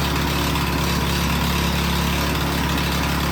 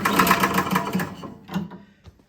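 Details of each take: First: Toro Power Clear single-stage snowblower that backfired on a pull start and would not start, after repair and topping up very low oil: a steady, even single-cylinder putter with no misses, knocks or backfires. Running smoothly; an oil change to 5W30 is still due. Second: Toro Power Clear single-stage snowblower, choked and primed, after the owner reported a loud backfire when pull-starting: a short cranking burst dies, then sharp little pops follow. A valve timing or valve fault is suspected.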